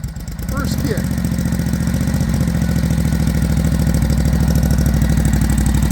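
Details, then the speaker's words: 1942 Harley-Davidson WLA V-twin started in neutral after three primes: a deep, loping thump about three beats a second that settles into an even rhythm, a healthy idle. "Boy, she sounds good. Sounds good, brother."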